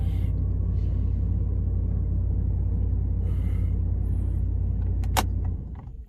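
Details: 2013 Dodge Ram 1500 running after a no-crank, no-start fault from a defective key that followed a battery failure, fixed by a new programmed key: deep, steady, even idle rumble that winds down at the end; normal idle.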